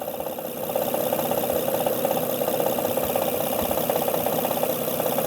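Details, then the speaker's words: 2005 Honda Odyssey 3.5L at idle, noise from the front with vibration felt there: light, fairly regular tapping about three per second, not valve slap; caused by a faulty timing belt tensioner, with rough idle and hesitation. "There's a ticking sound, major noise actually. It's not from the valve flash, I can tell you."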